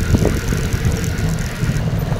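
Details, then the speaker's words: Rusi Flex 125i scooter after the front fender fix, riding into a deep pothole: over road rumble, a couple of hollow plastic knocks as the wheel drops; the front fender still hits only on very deep holes. "matinding lubak ito yung sinasabi ko maririnig niyo na lang siya pagka ganito kalalim yun yung ganong lubak pero tunog na nung front Fender yun"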